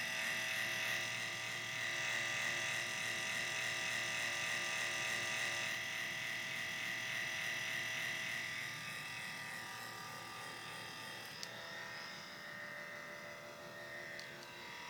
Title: MSI CX623 laptop making very loud noise